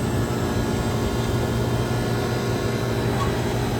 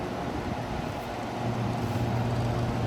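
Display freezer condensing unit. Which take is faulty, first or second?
second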